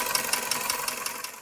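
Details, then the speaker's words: 21-year-old engine, cold after a light overnight frost and also present warm: crisp metallic tick about five times a second over a quiet idle; internal engine knock, engine needs repair. "Хороший стук всегда сам вылезет, да? На 21-летнем двигателе уже и пора бы."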